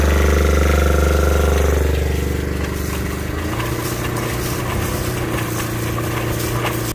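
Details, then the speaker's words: Fischer Panda diesel generator on a Grady White 335 Freedom boat running under load from the air conditioners and charger, after a broken impeller was replaced. Steady drone deepening evenly under load; the generator is fixed. "Now let's load it up. Alright, the most important thing here are air conditioners. Put the charger on. Alright, our generator is fixed."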